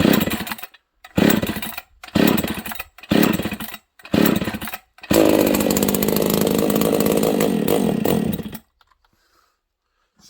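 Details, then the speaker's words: Husqvarna 268 chainsaw, cold start on full choke; a few short choked bursts, then a high, thin, ragged rev that won't settle; runs lean, traced to an air leak at the crankshaft seal. "thing's probably a little lean okay well there's our first problem of the day"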